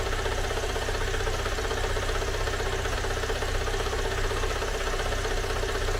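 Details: Great Wall car engine idling right after a teardown repair: a light, regular internal knock of about four per second, a tractor-like clatter absent before the repair. Mechanic says oil was added; the engine is reopened and the cause is not yet found.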